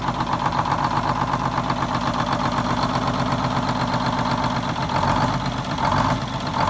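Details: 74-year-old Greyhound bus diesel started from a new start-stop box after rewiring, to check a leak: steady diesel clatter at idle with an even low rumble and no misses or knocks. The engine runs smoothly.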